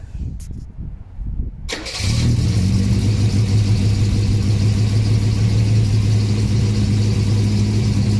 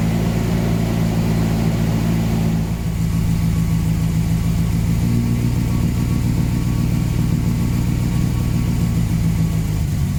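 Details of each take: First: 1979 Volvo 240 with exhaust swapped from another 240, new front gasket: cold start with manual choke high idle at about 1500–2000 rpm, brief crank then steady fast even idle, a little blue smoke; clean normal cold start. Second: 1979 Volvo 240 with the exhaust swapped from another 240 and the intake pre-heater hose removed, first start; rough, lumpy idle with a loud puffing rasp from a massive exhaust manifold leak.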